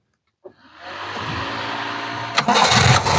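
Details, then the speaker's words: 1986 Toyota Starlet, started straight away for an engine check: starter turns briefly, engine catches at once and settles into a steady, even idle with no misses; engine condition safe. "coba kang hidupin langsung kita dengar teman-teman untuk kondisi mesinnya Seperti apa nih"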